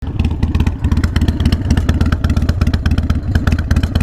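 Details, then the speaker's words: Harley-Davidson Sportster 48 V-twin at lumpy idle about 98 beats a minute with a loose metallic clatter on each pulse; rattle source not located, loose exhaust rattle. "can't tell where that rattling's coming from"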